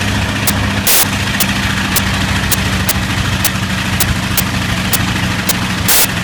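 Even low rumble at idle with regular snapping pops near two per second and a couple of louder bangs, a light misfire.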